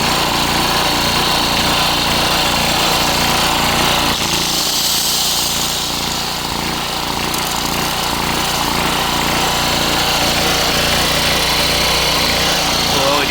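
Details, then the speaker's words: Coleman Powermate PM1500 generator, started on the first pull and powering an angle grinder: steady engine drone with no surging under the grinder's whine; carries the electrical load well, runs great. "thing runs great I'm happy with that"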